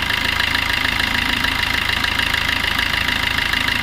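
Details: Maruti Suzuki Ertiga diesel engine idling with a steady, even knock about three times a second over the clatter; the mechanic calls for the injection timing to be changed.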